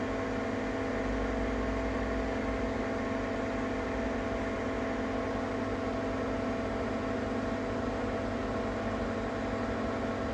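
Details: Ninja Foodi 8-in-1 running cold in this recording (owner says the unbearable noise comes after warming up): loud steady whirring drone with constant hum underneath; excessively noisy running, cause not yet known.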